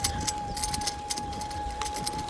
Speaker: Jak słychać, moja uszczelka na tylnej piaście jakby miała umrzeć, piszczy.